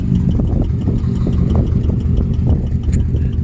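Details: Subaru WRX boxer engine at idle after a drive: sharp, regular knock about four times a second over a low rumble; suspected rod knock, not confirmed, owner plans an STI engine swap.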